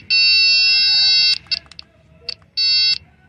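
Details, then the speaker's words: Nissan Hardbody Z24 pickup that cranks but won't start, with no fuel reaching the engine after a recent fuel pump swap; tester on the pump connector's black wire gives two steady high buzzes — good ground confirmed. "ahí estamos checando en el cable negro que es una tierra vamos a meterle corriente para ver si esa es una buena tierra"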